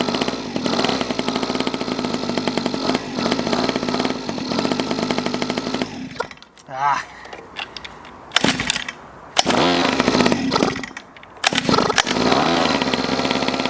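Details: Cheap Chinese 50cc two-stroke pocket bike, just got running, choke direction changed: high-pitched buzzy note revving and easing off, pulling under its own power, with wind gusts later; running normally.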